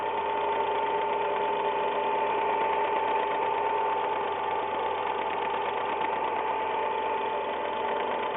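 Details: Semi-new first-owner Ford Ka, 10,100 km, always recommended oil: light fast tek-tek tick, three or four a second, over a steady idle, only when the engine is cold, for the past 6 months; cause unknown, mechanics disagree.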